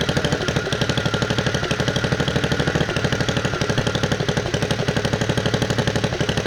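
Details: 1969 Bolens 850 tractor, Wisconsin S8D 8.25HP single-cylinder, run after carburetor initial adjustment while tuning points: hard regular clatter about four beats a second at speed; knocks badly at high RPM, idles poorly, smokes; cause not pinned down.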